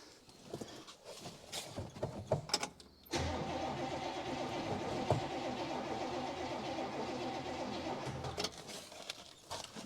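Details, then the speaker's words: 1966 Buick Special small V8 that sat for years in a backyard: about five seconds of steady, rhythmic starter cranking that never catches or speeds up; cranks but will not start. "and it most likely is not going to start as is"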